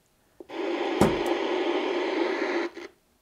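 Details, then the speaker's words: 1970 Inoue IC-2F crystal-controlled 2-meter mobile radio (pre-ICOM): receiver hiss rises with a sharp, scratchy crackle as the volume knob turns. Dirty volume control. "now we got dirty control there you hear that it's gonna get more volume out of it here"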